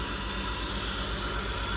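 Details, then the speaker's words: 2003 BMW 325xi right after replacing the cylinder 1 fuel injector: steady loud hiss of rushing air over a faint engine pulse on restart; owner blames the airflow sensor acting up, intake leak suspected, no leaks seen. "So it is running. It doesn't sound like it's running. Okay, that's the airflow sensor going crazy."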